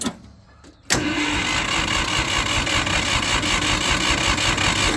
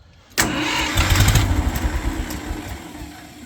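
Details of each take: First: Old gas Ford 2000/3000 backhoe tractor after new 2-inch exhaust pipe and muffler: starter spins the engine at an even chug for about four seconds without firing; it has run out of gas. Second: Ford 2000/3000 gas tractor backhoe started after the busted exhaust pipe and muffler were replaced: cranks and fires promptly, then settles into an even idle with a steady low exhaust note and no rattles. Normal start.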